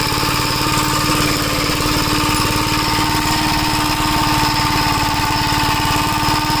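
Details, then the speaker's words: 1961 Gravely Model L tractor on a test drive after carburetor repair and richening: single-cylinder engine putters steadily at an even pitch with no hunting or surging, and the newly hooked-up governor holds speed. "I kind of I kind of just want to make sure the governor works. Uhoh. Got to go back. Yeah, the governor. It sounds like it's working. Yeah, it is."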